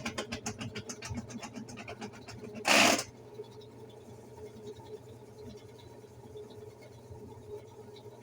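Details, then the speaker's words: Consul washing machine on the spin cycle, with its mechanism already replaced. Dry, irregular crackling and rattling rides over the spinning drum, coming from something down below the tub. "Tá ouvindo? Esse estraladeiro aí, essa zoada aí. Aí a gente vai ver o que é."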